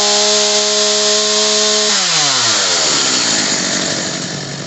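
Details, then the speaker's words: Homelite 3514C chainsaw after high-speed carburetor screw adjustment (previously bogged and died off choke): high steady scream drops away sharply and fades, unable to hold idle; idle screw to be raised. "Alright, so now it doesn't want to idle. There's an actual idle screw that's right in here."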